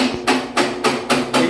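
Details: Brastemp BWL 11 kg top-loading washer knocks during the spin cycle and also fills with water nonstop: heavy rhythmic whomping, about 3.5 beats a second, like a helicopter, caused by a broken clutch actuator.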